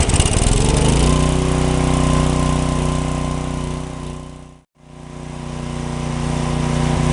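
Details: John Deere/Briggs & Stratton 4000-4400 W generator after magneto coil repair: engine catches on choke and settles into a steady, even drone with a brief dropout. It runs, but the outlets have no power; a faulty GFCI receptacle is suspected.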